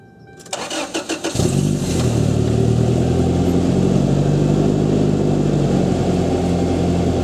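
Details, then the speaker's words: Toyota Tacoma 2.7L 3RZ cold start after Thrush glasspack installed in place of the stock muffler: brief cranking, engine catches cleanly and settles into a steady, even idle with a deeper, not very loud exhaust note; normal. "sounds like a truck. It's really not that loud. I love it, dude. It sounds pretty good, I think."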